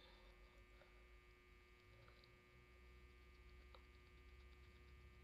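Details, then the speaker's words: Impressions vanity mirror lights: faint steady electrical buzz at one pitch throughout in a quiet room, cause unknown to the owner, who hasn't fixed it. "if you have a vanity and your light sound like mine like you hear that buzzing noise and you fixed it what did you do because I don't know what to do like I hate that buzzing noise"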